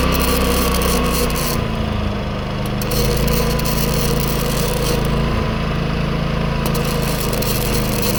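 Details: New Predator 11,500 W inverter generator powering a Chinese inverter welder: the engine drone rises and settles as the welding load comes and goes, never stumbling. The owner notes only the noise level; it runs normally under load.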